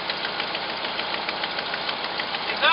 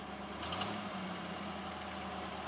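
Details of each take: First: Cold first start, the first run over five seconds, of a hot-rodded V8 Jeep J7 rock crawler with a newly fitted Edelbrock intake: fast, uneven ticking puffs about three per second over the idle, from a terrible exhaust leak; idle good, 55 psi oil pressure. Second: Hot-rodded V8 Jeep J7 rock crawler at normal operating temperature: quiet, smooth, even idle burble running on all eight with no misses; sounds like a stock motor, and the carburetor secondaries need tightening.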